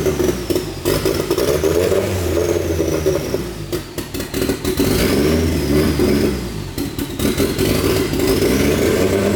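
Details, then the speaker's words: Newly built turbo car (T28 turbo, custom wiring harness) on first start with open downpipe: loud raspy unmuffled running with rev blips and slightly lumpy idle; sounds healthy, cam angle sensor still needing adjustment, idle air control valve might help eventually. "Besides, you know, the open downpipe thing, but engine sounds Nice and healthy."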